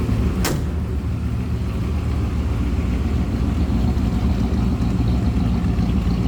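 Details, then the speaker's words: 1934 Ford 3-window coupe street rod heard running from the rear: deep, even V8 burble at idle with a steady low rumble and no knocks or misses; sounds healthy. "Good sounding car."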